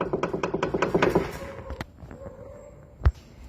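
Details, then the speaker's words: Dull knocks as the front suspension is rocked; car felt loose in front over potholes; badly worn ("super estourado") lower ball joint, unsafe, needs replacing. "olha o barulho Isto é o pivô tá vendo esse pivô está super estourado ao barulho"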